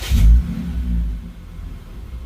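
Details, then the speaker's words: Lexus IS350 cold start after battery disconnect (throttle relearn mode), intake-to-throttle-body coupler found disconnected: engine catches with rev flare, then low rumble sags and surges unevenly instead of settling; rough idle. "Whoa. Nope. This is worse than before."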